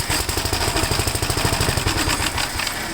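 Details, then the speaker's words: Gravely tractor after cleaning the magneto points, over-primed with two-stroke mix, smoking exhaust: small single-cylinder engine catches and runs with quick, fairly steady popping firing pulses; sounds healthy and running. "that's what I want to hear and all that smoke you saw come out with the exhaust there that's because we used uh two-stroke mix"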